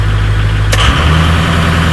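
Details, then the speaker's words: 2006 Ford F-250 6.0 Powerstroke diesel with the parking brake applied, upfitter switch wired as a high-idle switch: steady idle, then the engine speed steps up and holds higher and even as the switch is turned on; high idle works. "oh yeah that works turn off the switch"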